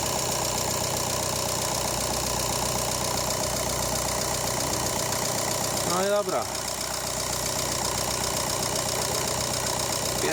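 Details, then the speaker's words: VW Golf Mk7 2.0 TDI (EA288, CLH), first start after replacing the factory-faulty timing belt tensioner roller that caused squealing: steady, even diesel idle with smooth clatter, no squeal or whine; normal idle. "Pierwsze odpalenie. Widać, że jest w porządku. Nie ma już żadnych dziwnych dźwięków. Chodzi tak, jak powinno chodzić."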